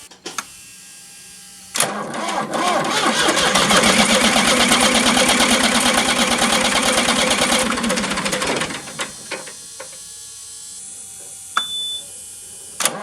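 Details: Ford New Holland LX865 skid steer, 65 hp turbocharged three-cylinder diesel, contaminated fuel: seven seconds of even cranking at about three compression beats a second that never catches, after filter work; injection pump damaged, sent for rebuild.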